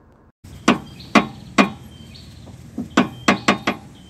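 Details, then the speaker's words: Car suspension with the wheel rocked by hand: sharp hollow clunks, one with each push, from a worn inner tie rod and cracked steering rack bushing. "Nah ini ya teman-teman udah bisa dengar sendiri suaranya seperti itu langsung kita copot ban dan kita langsung bahas apa yang menyebabkan ini bunyi teman-teman"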